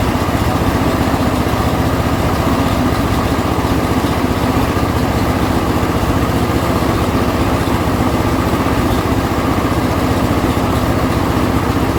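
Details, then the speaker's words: John Deere L120 tractor single-cylinder, after fuel pump check, choke on, throttle midway: fires without priming, steady, even fast-idle chug with no misses or surging; runs cleanly. "So it did fire up, so that's a good sign. I mean, I didn't have to pour any gas in the carburetor or anything like that."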